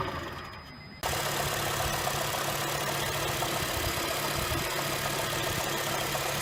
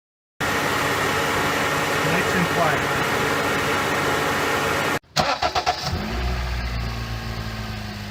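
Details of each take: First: 2007 Honda Fit cold start: engine catches and settles into a fast, fairly even light knock about four a second over the idle, first suspected rod knock or piston slap, traced to a bad AC compressor pulley bearing (replaced with NSK 35BD219DUM). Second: 2007 Honda Fit after replacing the AC compressor pulley bearing (NSK 35BD219DUM): short crank catches quickly and settles into an even, steady idle with no knocking from the front accessories; the former knock is fixed.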